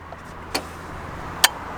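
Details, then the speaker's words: Nissan 350Z during a body control module self-test after installing new cooling fans: two sharp separate clicks about a second apart over a quiet background, source unknown, just before the fans start working; intermittent clicking. "Don't know what that is, but something's clicking."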